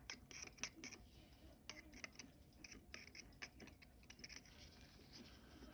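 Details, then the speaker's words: Seiko 6105-8119 watch (6/73), water-damaged movement: faint irregular dry scraping as the loose rotor weight swings, because the worn winding bridge ball bearing has loosened from wear and water and lets the weight rub the movement, causing brassing; winding bridge replaced. "Hear that scraping? See all that movement? This beautiful new weight that you're getting from me is going to get all scratched and scarred up and messed up."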